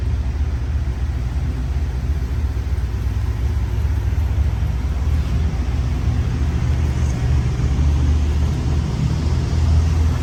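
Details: 1964 Chevrolet Chevelle Malibu SS, original 283 4BBL V8 with Muncie 4-speed, rotisserie restored: deep, steady low rumble with an even V8 lope and nothing ticking or knocking over it; a healthy idle.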